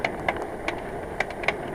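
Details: Bicycle rear hub while coasting: sharp, uneven ticks every quarter to half second over road and wind noise, with no pedaling resistance felt. Clicking rear hub, cause unclear; hub later repacked, no obvious ball or cone damage.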